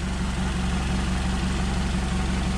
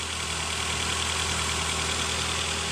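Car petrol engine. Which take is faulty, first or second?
first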